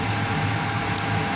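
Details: Payne furnace with a no-heat fault, starting after sensor cleaning, a tightened loose connection and a test bypass of a popped fuse: smooth steady fan rush over a low hum, with no rattle, scrape or surging; the inducer spins up normally.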